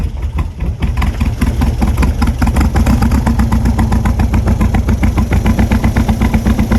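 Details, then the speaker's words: Barn-find custom VW Beetle (Poraga 925) convertible, air-cooled, first start with clean fuel: lumpy, uneven idle with stumbling beats about four per second; sounds like misfiring or running rich, owner says it needs a tune-up (points mentioned). "psychedola sounds like it's misfiring or running rich we definitely need a little tune up"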